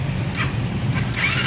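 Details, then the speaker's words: RFI 175 motorcycle starting on the electric starter after only the starter motor carbon brushes were replaced; engine catches and runs with a steady low rumble, normal start. "Un start na. Carbon brush lang ang pinalitan natin."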